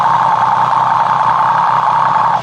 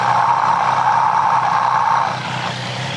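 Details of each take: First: Triumph 765 motorcycle at idle, customer complains of ticking noise: stethoscope on the left crankcase gives only a steady, even mid-pitched hum with no knocks; crankcase sounds normal. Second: Triumph 765 motorcycle engine with a reported abnormal noise, heard through a mechanic's stethoscope near the timing gears: a light, fairly regular tick, roughly three per second, over the engine hum; source unclear.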